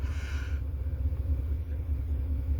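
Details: 1970 Chevy Impala 400 small-block, long abandoned, on temporary gas can via its fuel pump: deep even V8 burble at low idle, steady pulses, no misses or knocks, no oil pressure light; normal idle.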